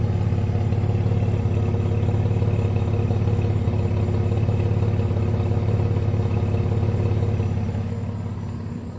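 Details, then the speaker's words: 2002 Jeep Liberty Limited 3.7L V6, just after new valve cover gasket, low on oil, white smoke and burning smell from rear of engine near heat shield: steady low idle with a slightly uneven, loping pulse about three times a second; rough idle. "like him like you're running a little rough there guys and you can smell the burn coming from right down"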